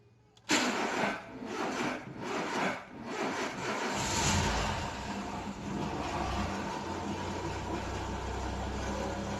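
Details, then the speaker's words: Renault Sandero 1.6 8-valve, owned one month, had not been starting: several seconds of uneven cranking before it catches into a rough, very loud noisy idle; owner has no idea of the noise's cause, possibly the head. "Ligou. Nossa, olha o barulho que ele tá fazendo. Pera aí, vamos ver. Ligou, consegui ligar ele não tava ligando."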